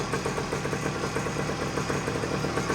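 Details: 1979 Suzuki PE250 two-stroke, revived after sitting a couple of years: warm steady crisp burbling idle, no hunting or air-leak hiss; running really nice, normal idle.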